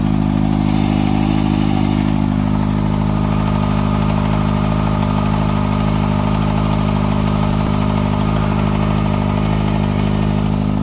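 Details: 2014 Kawasaki ZX-6R ABS, 8000 km, last service at 5.5k, Graves slip-on exhaust: steady idle with a light, quick ticking riding over the engine note.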